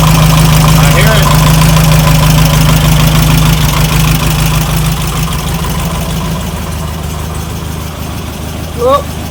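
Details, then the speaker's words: VW Beetle air-cooled engine at steady idle with a regular knock about three times a second; fan removed it ran with only lifter noise, with fan and belt refitted the knock returned. Traced to the alternator or fan. "That's what it is. It's the fan or the alternator."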